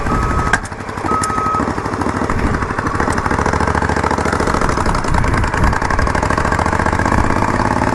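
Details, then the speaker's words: Yamaha Virago XV920 café racer V-twin: loud, rough running with frequent sharp backfire pops and an unexplained clicking; the owner believes the carbs need syncing, though this is unconfirmed. "Backfires a lot. I don't know if you guys can hear it or the bike, but man, it's fucking loud."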